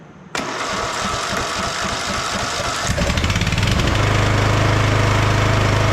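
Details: Free roadside lawn tractor with plug and valve cover refitted: cranking chugs about four per second for three seconds, then it catches and settles into a steady, even run; normal engine start.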